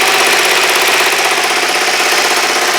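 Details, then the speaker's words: Kawasaki GPZ500S, not yet up to temperature after new spark plugs: quick even idle with crisp exhaust note, no knocks or misfires, running sweetly; owner suspects the plug was the problem, some vapor or smoke still seen at rear. "yeah it's um it's running just sweet lovely maybe it was just the plug that's all it was"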